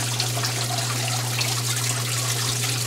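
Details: Port-A-Cool Cyclone 2200 evaporative swamp cooler, refilled and reassembled: steady trickle and splash of water over the pads with a low even motor hum; water flowing normally.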